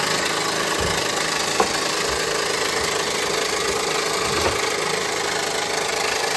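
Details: 2015 Honda Pilot 3.5L i-VTEC: loud idle with an uneven knock and rattle riding over the engine at crank speed; failing front harmonic balancer.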